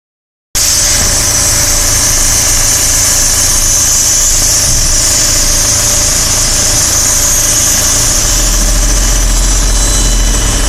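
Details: 2013 VW Passat TDI SEL diesel idling: steady low hum and bright hiss loudest near the exhaust throttle valve; owner asks whether this is normal.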